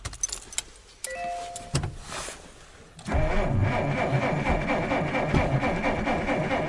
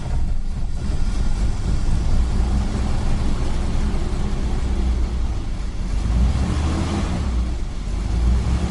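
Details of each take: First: 1947 Dodge failing to start over several days: steady starter churn about two beats a second without catching, cranks but no start; owner suspects an electrical problem, petrol smell noted, cause unconfirmed. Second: 1947 Dodge that had failed to start for days, owner suspected electrical fault, now started with charger removed: catches straight away into a steady, even low rumble with no misses or knocks; best it has ever started.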